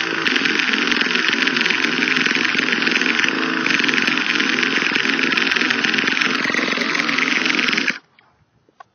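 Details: Used Traxxas T-Maxx 2.5 nitro RC car: high-pitched starter buzz runs about eight seconds then stops, engine never fires; slight smoke seen from the starter motor; cranks but won't start, cause unknown.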